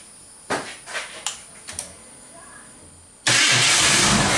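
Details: Yellow Fox Body after a new alternator with built-in pigtail was installed: a few clicks and knocks, then the engine catches and settles into a steady, even run with no squeal or whine; it charges at 14 volts.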